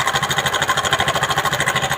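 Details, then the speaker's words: TVS XL 100 Heavy Duty moped before timing chain replacement. Quick, even idle beat of about nine per second with a hard metallic clatter on top; the noise is very bad. Worn timing chain that needs replacing. "इसका आवाज़ बहुत ख़राब हो चुका है। आवाज़ बहुत ज़्यादा है।"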